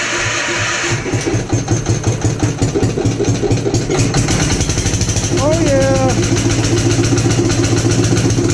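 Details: Gravely Commercial 12 34" Snow Cannon snowblower, cold start after about a month unused, full choke applied by hand, weak battery: chugs with uneven, stumbling beats that never smooth out; possibly fuel starvation.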